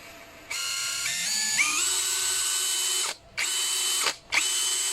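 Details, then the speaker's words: Brushless cordless drill after rotor replacement (old rotor's magnetism weakened) and gearbox regreased: variable-speed test, clean whine rising smoothly with trigger, slow then fast, cutting off and restarting crisply; motor and gears running normally. "现在没有问题的，并且齿轮箱已经重新打油保养了。都挺好的，转速也是正常的，这是现在是慢转，快转。"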